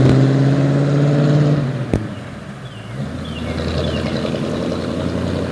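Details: 1950 Ford F1 flathead V8 8BA accelerating then easing off on a test drive after replacing a blown header gasket; smooth, no pops or crackles on the overrun where it used to backfire, much quieter.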